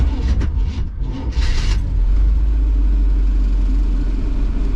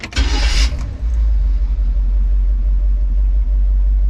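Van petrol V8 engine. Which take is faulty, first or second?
first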